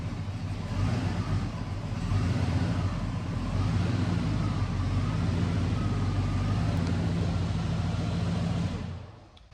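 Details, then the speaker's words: 1992 Ford F150 after getting the fuel pump working, tank hanging on straps: low deep rumble, a little rough early, likely air in the fuel lines, then settles into a steady run before shutoff; fuel pump works. "It runs. A little rough out of there was probably just because of air in the lines, but fuel pump works and it runs, so that's good."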